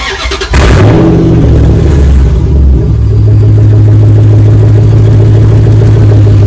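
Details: 2004 Dodge Ram 1500 Hemi 5.7 V8 after muffler and resonator delete, straight pipe fitted. Cranks and catches, blips up, then settles into a loud, deep, even burble with no misses; healthy engine, just a loud straight-pipe exhaust.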